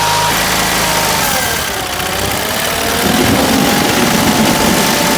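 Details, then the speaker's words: Case 446 "Big Wheel" lawn tractor twin, barn-stored several years, after removing carburetor air-filter screws that fell in and held valves open: even steady putter settling smoothly at idle, no knocks or misses; normal running. "Well, my friends, there you have it. Another successful Will It Start? Yep, it did."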